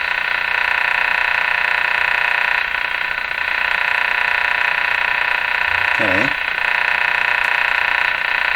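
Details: 1935 Rogers 7R622 tube radio with burned, shorted AM antenna transformer bypassed: loud steady hiss with rapid clicking about three per second, no clear station; weak AM reception with random ignition-like interference from an unknown source.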